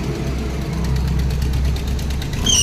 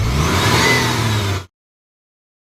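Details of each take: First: Maruti Omni, belt recently replaced, winter: steady idle, then sharp high squeal the moment headlights are switched on and engine revved; loose slipping fan/drive belt squealing under electrical load. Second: Maruti Omni after the fan belt was tightened at the adjusting nut to cure a winter squeal: engine starts and runs evenly with no squeal or chirp from the belt, with headlights either off or on.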